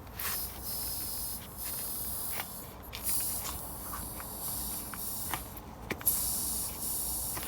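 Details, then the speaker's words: Bolens HT20 garden tractor, rear left tyre found flat: hiss of escaping air comes and goes in bursts as the tyre valve is moved; air leaking at the valve. "you can hear the noise of air leaking now we're not sure if this is cheap or tubeless but i think we we're going to be following that lead on the valve first"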